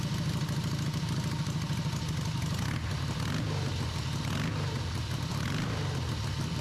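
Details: Harley V-twin in an off-road trike build, first run after the owner's own engine rebuild. A loose, lumpy, deep, even thumping idle holds without stumbling or backfiring, with a carb fitted. It ran after the timing was significantly advanced; normal idle.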